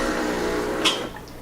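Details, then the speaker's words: Solis Master 5000 espresso machine brewing the second shot: steady pump hum pushes a little water, then a click and a pause before it restarts; normal pre-infusion cycle. "What Solis does, they always have a little water first go in there and then stops, and then it starts again."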